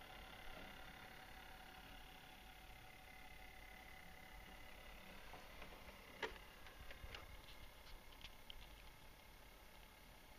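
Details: Brand-new Netgear WNDR4700 (Centria) router with no hard drive installed: quiet steady fan whir with faint irregular rattling clicks inside the case; owner suspects the internal cooling fan.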